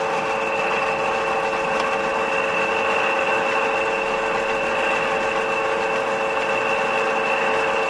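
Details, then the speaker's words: Lexus/Toyota 2GR-FE intake VVT-i cam phaser, running: fine, rapid clatter from the top of the engine. Wear in the phaser bores lets the lock pin jump out, and the rotor vanes strike the housing walls, causing the phaser rattle. "фиксатор у нас отпрыгивает муфты начинает трещать то есть три хита на своим ротором ударяясь о стенки муфты треск идет конкретную отсюда"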